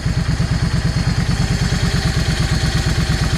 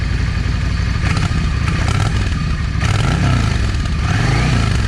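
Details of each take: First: Yamaha 650 V Star after its jets were changed. Even, loping V-twin idle with steady thumps after the idle speed was raised slightly. Idle speed now sounds right. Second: Cold Yamaha 650 V Star with a modified, drilled exhaust. Lumpy idle with sharp pops from the front (#1) cylinder exhaust. Owner suspects a clogged or undersized idle jet. It runs okay once warm.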